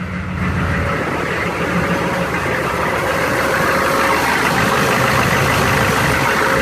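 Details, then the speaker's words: Old GM V8 being resurrected, sputtered at first, possibly about a quart low on oil: low, steady idle with no misses or knocks, holding an even purring beat; the engine is settled and running smoothly. "listen that kitty cat burr huh beautiful"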